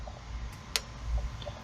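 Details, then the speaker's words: Torque wrench set to 13 foot-pounds installing spark plugs: sharp single click, then another a second later, in a quiet room; normal click at set torque. "That's what it sounds like when you've actually hit your foot-pound mark. Pretty simple."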